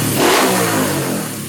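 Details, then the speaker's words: Custom Honda Win 135cc vintage scrambler/trail build, restored for flat-track racing: a quick rev climbs sharply and falls away smoothly with no misfire, knock or rattle; a crisp, healthy engine that sounds fairly aggressive. "Oke, kita cek suara dari mesinnya sendiri ya. Nah, ya lumayan galak."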